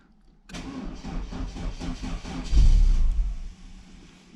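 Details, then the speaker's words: Car just serviced, coolant being bled, start-up: engine catches and pulses unevenly a couple of seconds, surges and sags; stumbling on start, blamed on not enough fuel, then runs nicer. "not enough fuel in that one, boys."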